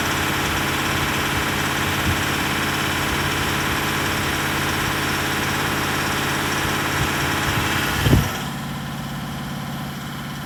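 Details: Range Rover SDV8 diesel V8 idling with a steady, fairly quick knock/tap, still present after two new turbos, EGR valves, oil and EGR cooler seals, oversized big end bearings and crank polish; also surges under light acceleration; cause unknown.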